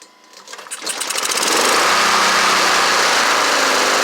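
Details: Honda HRR216 mower, sitting since 2000, started after the Smart Drive belt was untwisted and tightened: fires and climbs to a steady, even high-pitched run with no knocks or misses. Runs well; it still needs blades, belt, air filter and an oil change.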